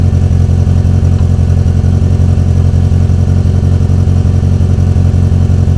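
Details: Renault 19 running after engine repair, first move: smooth, even engine note with a steady low beat and clean pickup when revved; running healthy.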